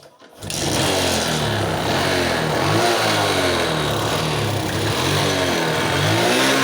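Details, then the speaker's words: Suzuki Smash motorcycle, hard starting and won't rev: uneven, stumbling, lumpy idle, hesitation and poor acceleration; fuel flooding from a leaking tap suspected; battery also degraded, fuse missing and wiring possibly bypassing it. "ถ้ากลับก็อาการเร่งไม่ค่อยขึ้นนะครับเร่งสะดุดนะครับ"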